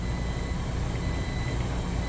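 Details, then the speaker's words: Beer-cooler refrigeration condensing unit after restart: steady, even low drone with a faint high whistle and no knocks; correct voltage, no issues, box at 32 pulling down toward a 28 setpoint, and the starting components are suspected as the original fault. "it restarted just fine correct voltage no issues i think we're going to be pretty good"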